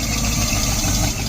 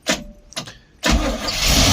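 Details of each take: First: 1972 Barth motorhome engine, first run in 15 years, electric fuel pump: short stretch of even, steady idle holding on its own without throttle help, no stumbling or dropouts. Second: 1972 Barth motorhome, gasoline engine unrun for 15 years, restart attempt after battery reconnected on a wet day; starter cranks steadily about five seconds, engine barely catches then falls silent; fuel starvation from dried-out carburetor; fuel filter leaking.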